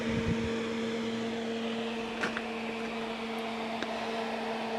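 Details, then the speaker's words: Crest Audio V900 PA amplifier on 240 volts, first power-up after salvage, outputs showing no DC: steady fan rush with low hum tone, no rattle or scrape; loud but normal cooling fan. "That's a noisy fan."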